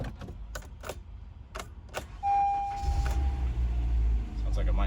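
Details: After the failed park/neutral transmission range switch was replaced and rewired, a few sharp clicks, a short tone, then heavy low churning as the engine cranks. The repair worked, though the starter sounds tired and may be worn.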